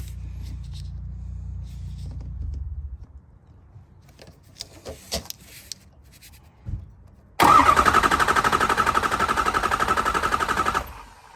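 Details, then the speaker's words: 2005 Ford F250 6.0L Powerstroke diesel, cold (above freezing) and plugged in for hours, with a highway power-loss complaint: starter cranks the engine without starting, a steady, even, continuous crank at about four pulses a second with no waviness; bottom end sounds healthy. "And what we want to listen to is just how the engine sounds, and we should have just a nice, even, continuous crank."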